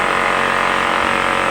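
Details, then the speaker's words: Honda generator with fouled carburetor and hydrolocked engine, running after Seafoam carb cleaning: constant smooth buzzing drone at fixed speed, no surging or hunting; running steadily and healthily. "and that'll help uh keep it running smooth nice work Exo Man yay yay"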